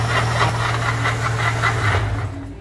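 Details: Regular light knocks about three per second over a steady low engine hum, a repeating mechanical knock attributed to a slack, failing water pump.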